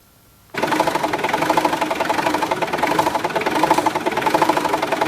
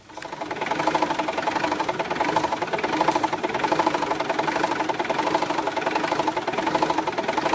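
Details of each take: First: Mitsubishi L200/Triton 4D56T 2.5 turbo diesel as it arrived: clatters into an uneven, surging, lumpy idle. Injectors were already replaced elsewhere without a fix, and diagnostics showed no error codes. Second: Mitsubishi L200/Triton 2.5 turbo diesel 4D56T, back in the workshop after a road test following an erratic idle repair: even, steady diesel idle clatter with no misfire or hunting.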